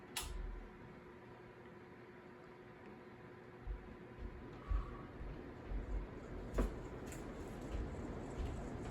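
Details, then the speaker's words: Quoizel Abigail Adams style lighted floral hugger ceiling fan switched from zero to high, needing a new flywheel; quiet hum with irregular scraping knocks about every two seconds as blades lift and scrape the bottom plate. "but we're going to get to a point where the blades are going to go so far upwards that it's going to scrape the bottom bottom plate so once that happens we're turning it off fastco style literally"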